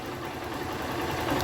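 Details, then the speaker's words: Start 160 motorcycle at hot idle: fast, light metallic clatter steady with engine speed from slack cam chain; after fitting a screw, the knock is gone, then timing must be set. "viram como é que é o barulho ó agora ó sem batimento sem batição sem nada entendeu"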